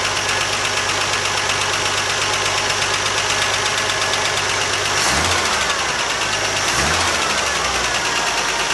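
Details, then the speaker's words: 1979 Jeep CJ-5, ex-orchard utility vehicle, first run after sitting as a non-runner, throttle no longer held wide open; fast sharp ticking about three per second over an uneven idle, suspected exhaust leak at the header, not confirmed. "Doesn't sound bad at all. So the exhaust leaks right here, or is that a kicking? More like this noise."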